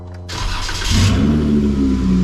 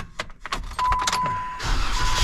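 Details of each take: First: Supercharged Jeep Wrangler, first start after cutting off the muffler dented and rattling against the frame from rock crawling: engine catches and settles into a loud, raspy, open rumble far beyond stock; loud exhaust, muffler removed. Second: Supercharged Jeep Wrangler idling before muffler removal, exhaust dented on a rock and rattling against the frame: after handling clicks, a steady even low idle burble with no knocks; exhaust sounds normal.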